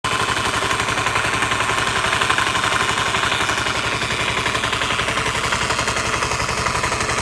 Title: vespa lt 125 started making a rattling noise after sitting for a few months.